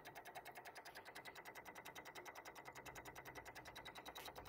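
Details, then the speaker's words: Nissan G35 sedan with a recurring no-start and weak battery: fast, quiet, even clicking, about ten a second, heard in the engine bay, seemingly toward the back and not from the battery or fuse box; source unidentified, owner suspects something draining the battery. "oh no it's definitely coming from inside the engine bay it sounds like it's coming from it it honestly sounds like the sounds coming from like back there it's not coming from this box it's not actually coming from the battery"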